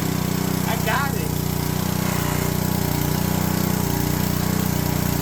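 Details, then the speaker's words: Honda Homelite pressure washer, stored about ten years in a shed and barely used, just restarted on E10 gas; small single-cylinder engine holds a steady even beat, carburetor sounds good with no surging, no leaks, running normally. "I got it. Carburetor sounds good, no rushing."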